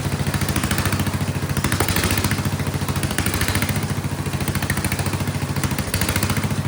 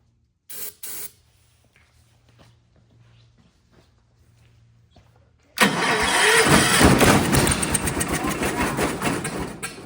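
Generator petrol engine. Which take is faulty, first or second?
second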